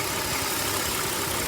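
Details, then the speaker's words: 2004 BMW 530 running extremely lean on both banks: rough idle with a loud wet sucking hiss as the DISA valve draws in soapy water and runs worse; vacuum leak at the DISA valve. "literally sucking in the water see it literally and hear it sucking in the water on the soap"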